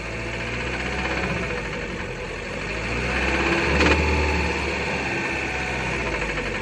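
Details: Fiat Bravo 2 1.4 T-Jet 150 hp petrol, 215,000 km, after maintenance: regular knocking about three to four per second over the idle, swelling slightly as revs rise; knocking noise present, cause not pinned down.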